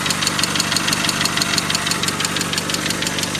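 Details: Mazda 626 FS engine at idle, first startup after reinstalling IAC and throttle body: sharp, regular ticking knock about three times a second; cylinder 3 later showed 50% loss from a bad exhaust valve, suspected valve knock.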